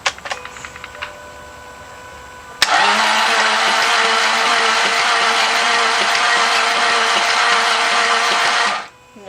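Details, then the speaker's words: 2000 Jaguar XK8 left sitting 2–3 years with stale fuel and a bad body-to-engine ground: starter spins the engine fast and evenly with a flat whir and no compression beats; sounds like no or low compression, compression test planned. "That didn't sound good either. No compression, it sounded like. Or low compression."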